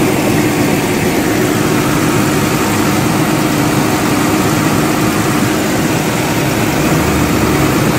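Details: Nissan Patrol GQ RB30 on LPG at idle: faint steady growling hum under the idle roar from the pipe between LPG lock-off valve and converter, loud in person inside and outside; cause not pinned down.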